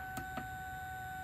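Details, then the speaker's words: Addams Family pinball machine after driver board and DMD controller high-voltage rebuild: thin, steady high-pitched fan whine with a few light clicks at the start; the fan whines loudly. "And man, I'll tell you what, that whining from that fan is not, it's not fun to sit here and deal with."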